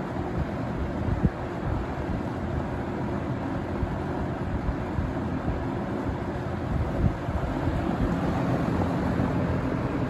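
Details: Vintage Windsor (Lakewood P-21) box fan from 1970 or 1971, running on low speed: even, deep, hollow, bassy rush of air like a 24-inch Max Air drum fan, with no clicks or wobble; running normally.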